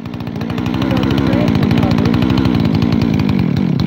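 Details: Freshly rebuilt Husqvarna 372 XTorq chainsaw with new bearings: loud, busy idle with an uneven, hunting beat, a double idle; owner suspects an air leak at the transfer cover, not the carburetor.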